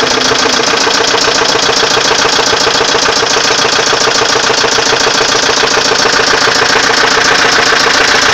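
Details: Volvo 850 petrol engine idling with a steady, regular knock, roughly three to four per second, over the running noise; cause unknown.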